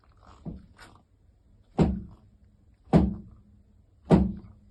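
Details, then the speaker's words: 2024 Honda Fireblade front forks with no preload, recorded before a crash: hollow thunks and a hard bottoming knock with each stroke. Inspection found both fork legs had no oil, with only a little foamed oil in the cartridge. "And the reason for this noise is that upon inspection, both fork legs have been found with no oil in."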